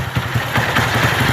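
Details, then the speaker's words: Single-cylinder motorcycle after a cylinder kit replacement for piston slap: a steady, even idle with soft regular pulses and no knock or tapping from the top end. The noise is gone. "tá aí ó motorzinho pronto zero sumiu o barulho"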